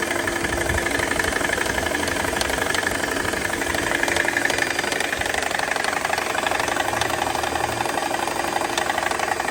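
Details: Mercedes C320 engine at idle: quick, steady knocking, roughly four per second, over a smooth idle; diagnosed as a failing AC compressor rather than the engine itself.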